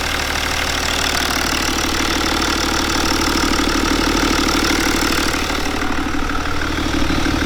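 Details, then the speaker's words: BMW N57 diesel, first start after replacing the timing chains and main bearings and bleeding the fuel system: a steady, even idle with a soft regular clatter around three beats a second, no knocks or misses, and no leaks; a normal idle. "for now not nothing is leaking i'm going to leave it running for few minutes i have one so it's not big of a deal yeah i still don't give the the fan but for sure but everything feels fine"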